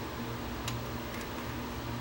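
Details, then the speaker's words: JVC HR-S7600 VCR with failing dynamic drum gears, emulator being installed, at power-on: low steady hum with a few faint light ticks as the dynamic drum mechanism shifts slightly, normal startup behaviour. "they normally go through the process of shifting the dynamic drum slightly."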